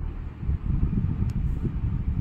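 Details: Maruti Suzuki Baleno after the misfire repair and code scan, check engine light gone and rpm needle steady: a low, soft idle at even speed with no skips or shakes. It now idles normally with no misfire.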